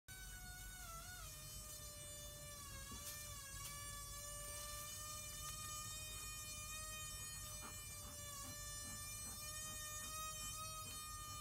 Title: Klargester making a whining noise